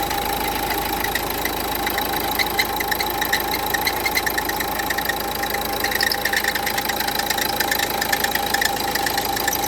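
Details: Renault Duster 1.5 dCi diesel at idle, before alternator pulley replacement: light, quick ticking about three per second over the clatter; worn alternator pulley.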